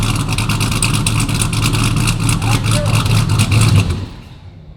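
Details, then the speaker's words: Ram TRX with a Hellephant 426 supercharged crate HEMI swapped in, first startup on a base calibration file, on the lift: deep, even V8 rumble pulling cleanly through the revs, no knocks, rattles or leaks; healthy. "Runs pretty good on the base file. Obviously, we're gonna continue to make improvements as we go. I don't hear any bad noises. I don't see any bad fluids on the ground. Sounds like it revs smooth, so that's great."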